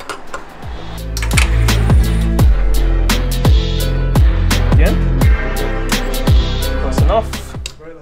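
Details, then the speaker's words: Barra turbo engine swapped into EF Falcon, first start attempt: steady starter cranking at about four compression beats a second, never firing or even sputtering; cranks but no start. "hmm it should at least sputtle nothing"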